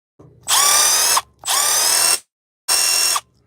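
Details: Cordless impact driver on Milwaukee-style red lithium XC battery at about one bar, cycling torque settings 1, 2 and 3; three short bursts of steady high motor whine with faint hammering rattle, speed clean and even: normal running.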